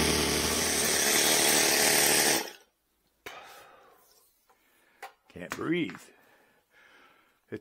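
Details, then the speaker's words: OS Max NSU Wankel nitro rotary model aircraft engine, cleaned up and run to get it ready to fly again: a high, smooth, even buzz at steady speed for a couple of seconds before it cuts, with no misses; a messy engine that runs cleanly. "a pretty messy engine but it sounds good"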